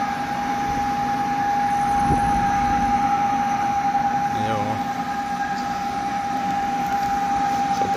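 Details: Flexit C2 ventilation unit in a cold attic, exhaust fan: constant mid-pitched whine and rustle over the airflow hum; worn fan bearings, to be replaced. The supply fan is silent.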